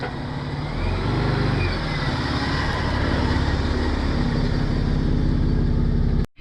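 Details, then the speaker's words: 105 Series Land Cruiser driving after a swivel hub rebuild and new passenger-side front wheel bearings (old ones worn out and apparently ungreased): steady, even road rumble with no growl or grinding from the front wheels. Bearings sound normal. "Brand new wheel bearings in the passenger side, they were pretty clapped out, so it's good to be able to do that at the same time as the swivel hubs. Just sounds so much better as well."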